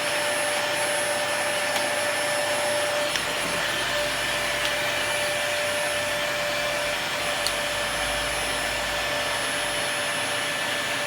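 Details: Dyson DC40 vacuum after a broken hose was repaired and the brush head serviced: a steady, even high-pitched motor whir with constant airflow rush and no surging or rattles; normal vacuum running.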